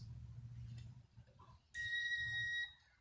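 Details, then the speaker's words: Acura TL 3.2L fuse check with digital multimeter on lowest ohm/continuity setting: short steady high-pitched beep about a second as probes bridge the fuse; continuity tone, fuse good. "So what I did is I'm just going to show a couple here, and you'll hear a little humming. So you want to hear that, and you want to hear that across all the fuses."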